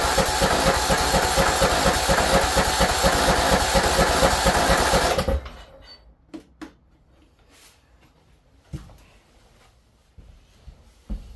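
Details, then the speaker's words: Craftsman T1600 with a Briggs & Stratton 19.5 hp engine, stored outside all its life, forced to run on starting fluid: it chugs hard and unevenly for about five seconds, then stalls; rough running from bad fuel, carburetor probably needs replacing. "okay definitely bad fuel and the carb carb probably needs to be changed"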